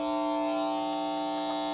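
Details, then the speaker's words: PlayStation 3 outputs a steady, harsh electrical buzz through the TV speaker alongside on-screen glitching; long-standing problem, bad enough to prevent watching Netflix, cause unknown. "see it's making that noise it's had this problem for a while and I managed to just get around it but it's it's too much I can't even watch WWE Network or Netflix on here because of that noise"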